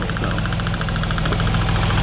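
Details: Car at warm idle: quick, light top-end ticking around nine per second, steady. Source still unknown; the owner notes the engine seems to move more than it used to.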